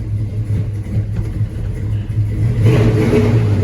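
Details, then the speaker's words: LS-swapped C10 pickup, 6.0 with cam, after new injectors and retune, heard from behind the truck: deep steady V8 burble picking up crisply when throttle opens, no hesitation or miss; takes gas good, real snappy. "Takes gas good, it's real snappy. The injectors made a huge difference in it."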